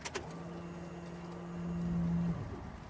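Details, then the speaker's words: 2016 Subaru WRX STI after replacing a failed AEM 320 L/hr in-tank fuel pump with a new one; third key-on prime gives a steady low electric hum for about two seconds, then stops. New pump primes normally. "prime to once twice this will be the third time hopefully we get some noise out of it"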